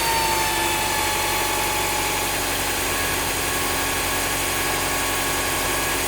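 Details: Honda Prelude 5th gen H22A5 2.2 VTEC idling after repeated timing belt refits, balance belt idler removed, belt no longer rubbing: loud hissy whirring well above the engine note; abnormal noise at idle, source unknown.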